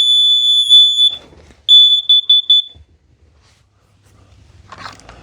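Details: Kidde plug-in gas and carbon monoxide detector self-test: a piercing high beep, one long tone then four short quick ones, then quiet; the display shows all eights and the alarm is working properly.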